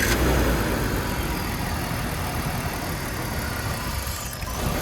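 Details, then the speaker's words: BMW E46 petrol engine idling unevenly after a no-idle condition, steady airy hiss from a big vacuum leak, likely a leaky vacuum line; purge valve not the cause; coolant also leaking. "So it sounds a lot better. The car moves, but coolant leaks, and you can hear a big vacuum leak."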